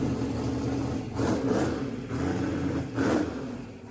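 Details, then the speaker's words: Mississippi Queen V8 first start after the AWD build, fresh fluids, oil and plugs, and a splice on a pulled CDI 600 wire, timing not yet verified: even idle with a couple of clean throttle blips; runs well with good oil pressure. "and it's literally a plane this big idle. That's because the exhaust pipe's so dang hot. Well, she runs. Got good oil pressure."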